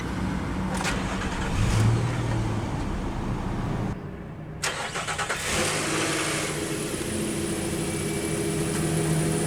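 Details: 2012 Nissan Xterra S 4.0L V6 five-door SUV at start-up: the starter cranks briefly, then the engine catches and settles into a steady, even idle with no knocks or squeals. Normal start and idle.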